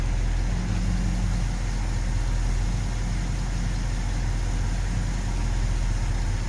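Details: 1970 Ford F250 with 360 V8 and carburetor, spark plugs cleaned, one replaced, regapped to about .042, warming up: low, slightly uneven rough idle; vacuum leak suspected since idle mixture screw adjustments had no effect, unconfirmed.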